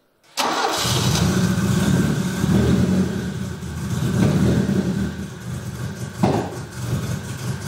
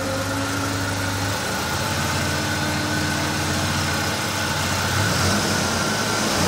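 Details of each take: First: Opel Manta B 2.0E CIH fuel-injected engine running: lumpy, uneven, stumbling beats and wavering revs instead of steady idle; misfiring, traced to incorrectly set breaker points, not engine damage as viewers suspected. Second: Opel Manta B 2.0E CIH engine after the breaker contact points, which had been set wrong, were corrected and the distributor cap and rotor refitted: smooth, even idle with a low rumble, no misses or tapping, after the cold start; normal idle.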